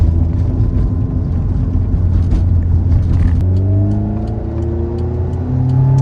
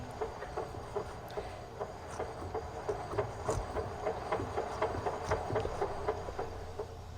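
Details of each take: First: 1988 Honda CRX Si after its failed B16A transmission was replaced with a B18C Type R engine and transmission swap. It revs smoothly with no gearbox clicks or knocks, with only a slight shifter rattle. Normal transmission under drive. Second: 1988 Honda CRX Si with a B18C Type R swap and a rebuilt ITR transmission: sharp, regular clicking about four times a second over road rumble whenever slowing down, in any gear, clutch in or out, or in neutral.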